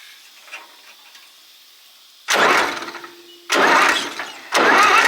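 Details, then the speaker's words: Old Zetor diesel farm tractor, first cranked since 1986 after sitting abandoned: three bursts of starter cranking with a strong, even chug and no firing; plenty of compression, pushrods returning, valves suspected out of adjustment. "I would say they're all returning, because when you spin it with the starter it sounds like it's got plenty of compression."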